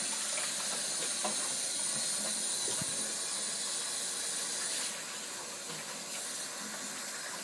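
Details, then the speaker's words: Two-zone baseboard hot-water heating system being bled, pressure kept below 30 lb and read at 11 lb afterwards: steady loud hiss of air rushing out, then dropping slightly; trapped air purging from the loop before water flows. "all right yeah I can hear the air coming out of this thing yeah it does it just"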